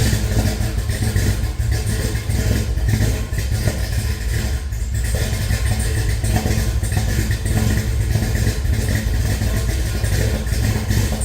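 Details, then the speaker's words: Henry J on first runs with a Sniper EFI, oil-pressure gauge not reading (bad sender connection), oiling checked at number five exhaust rocker: low, steady idle with no ticking or top-end clatter, so it has oil; normal idle. "Although, we have no clattering or anything, so we have oil in there."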